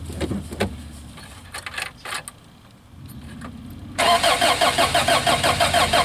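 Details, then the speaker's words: 1986 Toyota van that sat about 5 years, new starter just fitted, cold day: clicks and handling, then even cranking about three to four turns a second, never catches; crank no start, no fuel delivery, owner suspects fuel pump. "Little starting fluid, see what happens. All right, so we got spark. Not sure we're getting fuel."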